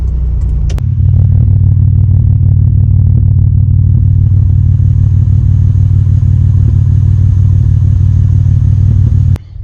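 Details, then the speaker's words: VG30 V6 Nissan Navara, damaged by too much boost and timing; leak-down shows 85% leakage past a piston, suspected broken ring or ring land; at idle runs on five cylinders with a lumpy, regular pop about three times a second, smoothing above 2,000 rpm; misfire from low compression. "yeah I'm not sure while you hear it but where's idling you can hear it just gum pop pop"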